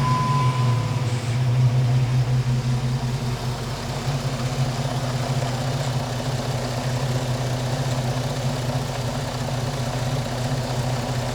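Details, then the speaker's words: 2005 Jeep Liberty Renegade idling after an Airaid throttle body spacer install with the K&N cold air intake refitted: smooth, even low idle with a steady rumble, no misses, knocks or hunting. Seems to be running okay. "Seems to be running okay."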